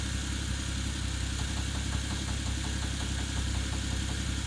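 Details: Toyota 1JZ-GTE straight-six at idle with a steady, fairly even tapping of about 170 per minute over the engine note; engine knock, source not pinned down.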